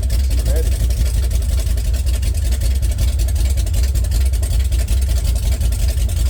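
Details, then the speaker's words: Chevy 454 swapped into a 1971/72 Pontiac LeMans, first start on open headers, foot off the gas: stumbling, uneven idle, misfiring. Owner suspects crossed plug wires on cylinders 1 and 2, not confirmed. "head burning off turn rocking hard. That's not a good look. Not sure why she rocking so hard."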